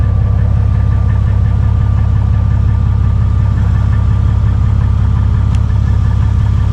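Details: 2001 Jeep Cherokee with about 183,000 miles, after a new MagnaFlow stainless steel muffler replaced the split old one, which Muffler Weld paste failed to fix. A deep, steady idle rumble with an even, quiet exhaust pulse and no blowing or rasp; the exhaust sounds sealed.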